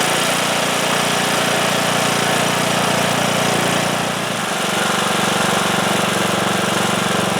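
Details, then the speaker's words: Cub Cadet lawn tractor, single-cylinder Kohler Courage engine that used to stall after 30 seconds, after new fuel lines, a new filter and fresh gas cleared a blockage on the tank side: steady, even thump that dips briefly with throttle then settles; runs normally without stalling. "Right congratulations I think that did it"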